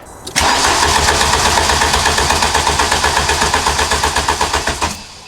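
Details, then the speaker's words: Mk2 Golf on a charged battery and boost pack with fuel confirmed at the injectors and new spark plugs just fitted: even starter cranking, about four compressions a second for four seconds, but it never catches; no start, spark next to be checked. "Still no luck."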